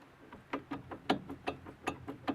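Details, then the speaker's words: Lanos front left wheel, wheel removed, brake caliper rocked by hand: sharp metallic clacks about five a second from a loose guide pin; the rattle over bumps was gone after the guide pins were serviced. "так это она болтается стучит сам сам направляющие"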